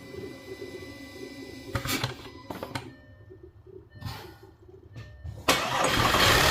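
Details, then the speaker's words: Audi A5/A6 3.2L engine, first start after major repair for internal coolant leaks, oil pan redone: several short cranking bursts, then catches and settles into a steady, even idle with no knocks or misses; healthy start. "all right guys so you can see it started double check again make sure no fluid leaking out or smell or anything oil pan looks good"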